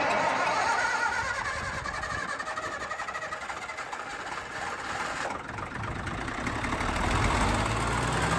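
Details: Old air-cooled Lister diesel backup generator, 109.5 HP, about 100 kVA, on a farm, monthly check start: the starter cranks briefly, then the engine fires and settles into a steady, even diesel clatter. A healthy cold start.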